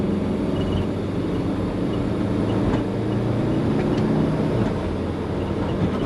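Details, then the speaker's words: Compound twin-turbo Subaru Forester under boost while driving: steady deep rumble over road and engine noise, with compressor surge also present; owner wonders about a boost leak, cause not pinned down. "there's that rumble"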